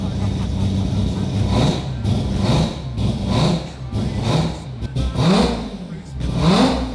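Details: Mazda FD RX7 with 26B four-rotor engine, just started after fixing a no-fuel-pressure problem: loud, crisp rev blips rise and fall about once a second, returning cleanly each time; normal free revving.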